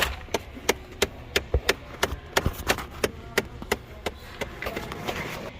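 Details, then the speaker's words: 2014 Ford Fiesta after blower motor replacement: sharp, fairly even ticks about three a second from behind the dash as the recirculation door actuator tries to park the door at startup or shutdown; the actuator is failing and being replaced. "That is your recirc door actuator. A lot of times it'll do it on startup, and it'll do it It does it when you shut off, and it tries to park this recirc door."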